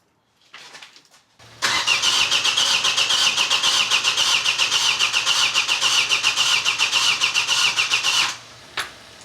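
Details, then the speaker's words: Vauxhall Astra after engine swap, start attempt on jump leads with weakening battery: starter cranks evenly about four turns a second for six seconds, never fires; only a bit of fuel reaching injectors, weak fuel delivery. "Okay, there is a bit of fuel, but not much."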